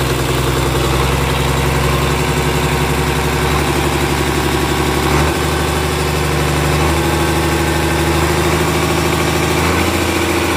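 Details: Komatsu S6D125 six-cylinder diesel on test stand after general overhaul (new crankshaft, liners, pistons, conrods, bearings; FIP and nozzles calibrated): deep, even rumble with smooth firing beat and steady speed, no knocks or misses; normal running.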